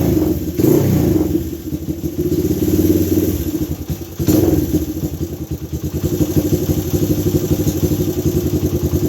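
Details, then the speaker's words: Second Honda ATC 200X single-cylinder with 214 Web cam, 10.25 compression, Curtis Sparks muffling pipe, started cold; a few blips then a steady choppy, muffled idle, slightly lumpy from the cam, a bit cold-natured; normal idle. "She's a little cold natured too. I mean, once again, doesn't sound stock."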